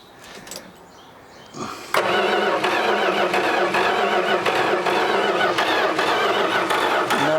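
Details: 1986 Dodge Ram D100 barn find, sitting 15+ years, cranked via relay after the distributor was checked for surface rust. Starter spins the engine evenly for several seconds but it never fires. Owners suspect the ignition module or the fender-mounted computer.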